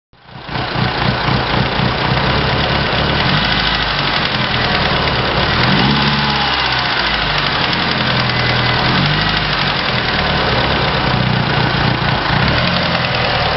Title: Evo ticking noise